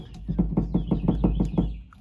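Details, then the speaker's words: 2013 Mustang GT rear sway bar stabilizer link shaken by hand: quick run of dull knocks, about six a second, similar to the rear clunk over bumps while driving; worn link, passenger side worse, being replaced. "it a knock and it does make some noise that's kind of similar to what the clunk sounds like when I'm driving uh yeah so it looks like the stabilizer needs to be replaced"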